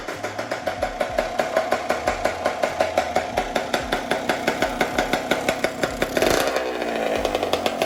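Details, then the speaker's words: Freshly rebuilt Honda CR125 two-stroke with Pro Circuit pipe, first start after rebuild, run without intake fitted: crisp, even popping idle and a clean throttle blip; runs very well, normal idle. "runs very well I'm actually very very surprised so I'm very glad"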